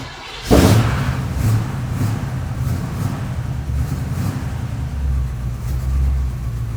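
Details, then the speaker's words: Noisy engine fires up with a bark, then settles into a rough, uneven run with recurring pulses of extra noise; noisy but not terrible, cause not yet obvious. "all right here goes nothing it's you can hear it kind of noisy not terrible"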